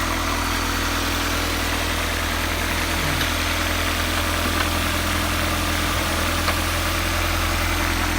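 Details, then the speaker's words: Customer car after a blown engine was swapped for a high-compression B20: even, steady, super smooth idle with a constant low hum, no ticking, puffing or stumbling; engine sounds healthy. "idol super smooth idle super smooth yep"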